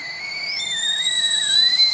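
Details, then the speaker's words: Macintosh LC II booting fine but speaker emits a high, wavering kettle-like whistle drifting in pitch, no fan beneath; common LC fault caused by leaking capacitors on the logic board. "needless to say this is a relatively common issue with these lc computers and it's caused by leaking capacitors on the logic board"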